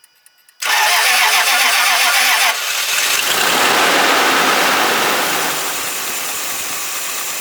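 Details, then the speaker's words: Land Rover no-start with no codes, run on external fuel source with good gas at 60 on the rail pressure gauge: cranks and catches abruptly, then ragged, uneven idle that sags and fades; runs poorly and won't stay running, cause unknown. "the car starts, doesn't run great, does not run great. It won't stay running."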